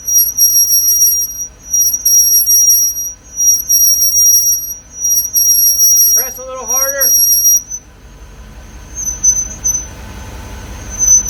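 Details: Car on a lift, wheel spinning freely: piercing high-pitched squeal from the right rear disc brake, pulsing with each wheel turn. Front and rear pads were removed and sanded, which eliminated the front noise; only the right rear squeals.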